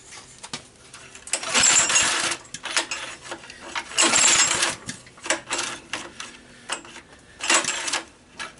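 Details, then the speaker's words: Honda EG1400 backup generator, not started in a while: repeated recoil pulls, short rasping whirr, no firing at all; no-start from fuel starvation, clogged fuel valve. "this is one of my backup generators and I want to start it and it said no go so I'm going to give it another try"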